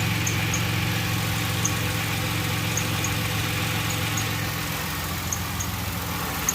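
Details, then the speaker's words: 2006 Pontiac Grand Prix 3.8L V6 idling after a coolant top-up with heater on and bleeder open: low drone with slightly uneven pulse about four beats a second, shaking quite a bit; owner suspects a blown head gasket because of a lot of coolant bubbles. "Definitely shaking quite a bit."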